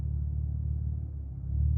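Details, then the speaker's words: Cadillac LF3/LF4 V6 after a Schmidty tune: deep idle rumble that sags and climbs back, taking about five seconds to stabilize and feeling like a miss; the idle hunts up and down, cause unclear. "with the blue driver and if do it again it kind of does this thing where it's kind of like the idle's up and down"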